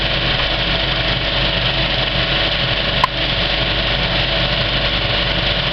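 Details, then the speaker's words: Kinoton FP30D cinema film projector on a Speco LP270 platter system, properly threaded, screening the end credits and film tail: a steady, even mechanical whir and chatter with no knocks or scrapes, which is normal running. "and this is what a really well threaded up projector sounds like when it's running"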